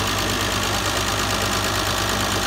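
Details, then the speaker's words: 2000 Vectra B GSi 2.5 V6, just started after nearly four years stored, mic near exhaust: steady idle with faint quick top-end ticking, owner expects it to quiet as oil reaches the top end. "maybe a little bit cavity at the top end i need oil to run through a bit it's up and running anyway"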